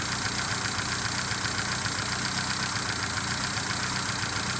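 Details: 1978 Fiat 124 Spider with rough idle under diagnosis: four-cylinder idling with an uneven, slightly stumbling beat and hissy top end; cause not yet identified.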